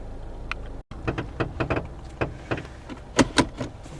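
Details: 2009 Toyota Corolla, 190k miles: several sharp clunks and clicks in uneven bursts as the steering wheel is turned; owner suspects outer tie rod or ball joint, and later finds the outer tie rod boot cracked and leaking grease, replacing the outer tie rod.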